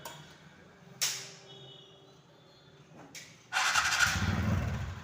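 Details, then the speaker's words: TVS Ntorq 125 BS6 scooter after one-way bearing replacement: a click and a short crank, then the engine catches and settles into an even idle with no rattle or grind from the starter, as the earlier noise is now gone; normal start and idle. "এখন আপনারা আওয়াজটা শোনেন, একদম আওয়াজ নাই হয়ে গেছে, একদম আওয়াজ নাই হয়ে গেছে।"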